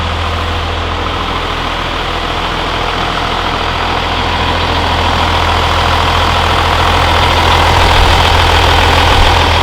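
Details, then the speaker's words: 12V Cummins diesel, first start after Stage 2 cylinder head install and valve set; steady, even idle clatter, no misses or knocks, no exhaust smoke, running healthy. "It's running pretty good. The valve set job is all right. We got no smoke out the exhaust."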